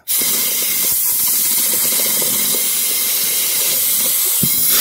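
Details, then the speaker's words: Echo PB8010 backpack blower repair, drying a fuel bottle: loud steady rush of compressed air for about five seconds, then cut off, blowing the bottle dry and clean; compressed air blowing. "and it blows it right out so now we have a nice dry clean bottle"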